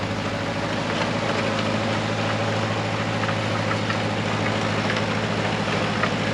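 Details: Nissan SD22 2.2L 4-cylinder diesel in an Oliver OC-3 crawler loader driving through half a 720 pickup transmission, moving in first gear: steady diesel chug about three beats a second, even and unbroken; runs healthy, hydraulics still sounding slightly off.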